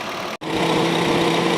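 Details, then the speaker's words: Honda City electric radiator fans, after repair of two weak fans that let engine temperature rise; engine idling warming up: steady strong airy whoosh with even hum, no scraping or ticking; fans spinning normally. "นี่นะครับเสียงการทำงานของพัดลมอ่าระบายความร้อนหม้อน้ำที่ปกตินะครับ"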